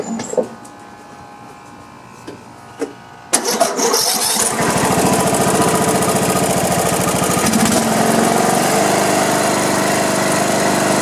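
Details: Craftsman LT1500 riding mower, sat in a barn for years, after repairs and running all day, oil sump seam being watched for leaks: quiet, then catches after about three seconds and settles into an even steady idle; healthy.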